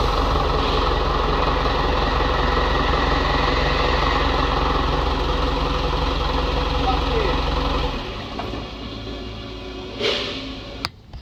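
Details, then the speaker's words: Isuzu NPS truck with freshly transplanted Euro 5 diesel, no radiator or intercooler yet, short restart: steady clatter with even idle beat about three a second until shut off; sounds healthy. "so she runs but no radiator or intercooler so we can't keep it running for too long but i just started up again just to make sure"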